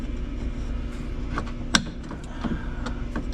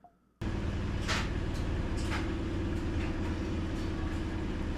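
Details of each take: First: Whirlpool washer during reassembly after the shifter was refitted: a sharp click with a few fainter ticks over a low hum from the shift mechanism, clicking four times. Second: Whirlpool top-load washer after the fix with a stretched spring and good shift actuator: a steady, even low hum with no clicking from the machine; any clicking heard is another dryer running in the background.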